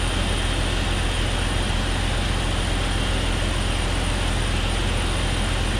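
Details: 2001 Jeep Cherokee XJ 4.0L idling smoothly with a steady loud rushing hiss from a cracked vacuum fitting, found by ear and confirmed when a thumb over the crack stopped the noise; spraying water didn't help.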